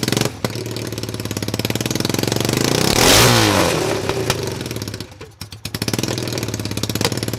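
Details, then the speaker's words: Cheap, beat-up Chinese ATV running on jumper pack after bad CDI found and coil trigger wires jumpered; popping idle swells into a clean rev then drops to a steady beat. Engine runs and revs normally, though clutch problem shows when put in gear. "all right so it does run um I'm going to back you up a little bit and show you the problem that we have now"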